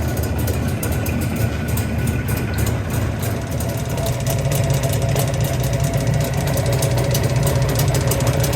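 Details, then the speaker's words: Jawa 350 (638) two-stroke at 166 km: from fully cold it runs quietly about 30 seconds, then a steady metallic clatter over the drone at idle. Piston wear suspected, crankshaft feared. "Я думаю буду разбирать поршневую и смотреть что там происходит"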